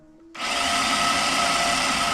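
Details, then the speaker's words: BMW E46 with turbo M52 swap, first start attempt, starter bridged manually at terminals: high steady electric whir with no cranking rhythm; starter spinning free, pinion not throwing out to engage flywheel. ">> That's not engaging on the flywheel. It's not thrown out."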